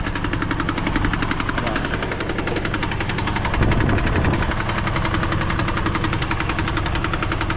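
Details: GMC Envoy with under 10 miles on a new transmission: fast, even ticking about three to four per second over the idle, seeming to come from the top; cause not yet pinned down.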